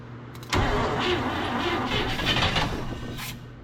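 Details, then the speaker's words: 1958 Chevrolet Bel Air off the road since 1993, being choked and fed fuel: catches with a sudden burst, then runs ragged and sputtering without settling; engine flooded. "Nope, this one. Oh, I flooded it out. This button is either all or nothing."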